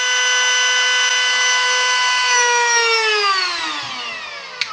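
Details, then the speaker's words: Milwaukee battery-powered rotary tool (Dremel-type) at top speed, around 30,000: clean, steady high whine, then falls smoothly as it coasts down; healthy, on rated speed, no lack of power on battery. "It's really it's got no lack of power even though it's on battery"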